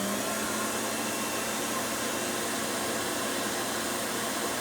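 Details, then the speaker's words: Vintage Rainbow D2 canister vacuum, suction motor only with the power brush unplugged: an even airy rush with a steady motor tone and no flutter, rattle or surging. It runs very smooth and quiet. "Runs very smooth and quiet."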